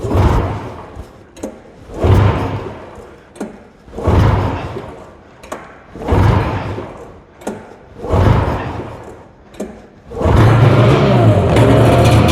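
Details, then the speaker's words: Arctic Cat Jag 440 snowmobile (probably a 1982), sat for years, after cleaning the NGK racing plugs: several pull-start surges about every two seconds, then it catches and runs steadily; oil injection not working, so shut off quickly; normal start. "on all right let's go she started didn't want to leave it running or try to keep it running because obviously the oil injection system isn't working"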